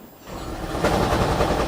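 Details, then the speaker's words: 2012 Toyota Prius, 284,000 miles, losing coolant, check engine light with code P0301. The petrol engine kicks on into a rough, shaking idle with a rattle: cylinder 1 misfire at idle. Owner suspects a head gasket problem. "And that loud noise That is the misfire on cylinder one. And I believe there's a problem in the head gasket."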